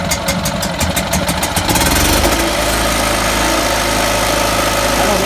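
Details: Generator that would not start, first start after replacing the carburetor instead of rebuilding it: brief cranking, then it catches and settles into a steady, even idle with no misses, running healthy.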